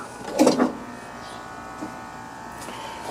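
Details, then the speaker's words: Free Craftsman LT4000 riding mower with Kohler 14 hp engine: sharp double pop then quiet when steering turned right, steering gears popping, smooth when rolling. "you can see when i'm see when i'm turning it to the right you can hear it pop and you can you can hear it right there can you see the the gears there it's just popping but when it's rolling it it uh just goes right along"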